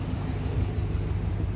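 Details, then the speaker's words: Ford SVT Lightning truck with new electric fan kit, after about 30 minutes idling with AC on and temps normal: deep, even low rumble with no surges or knocks; fans running normally. "So I've been idling the truck for about 30 minutes now, and all the temps are away at their normal operation."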